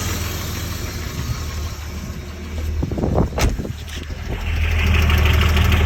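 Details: BMW M50 2.6 stroker engine idling with a steady low rumble and a regular knock about four times per second; cause unknown.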